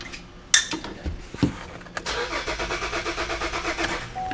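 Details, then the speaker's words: 2009 Buick Enclave towed in with no communication to the fuel pump control module, cranked before a shot of starting fluid behind the mass airflow sensor; steady, even starter churn for a couple of seconds, never catches, crank no start from no fuel delivery. "nothing shot of starting fluid which is behind the mass airflow sensor that should have should have started at least attempted to"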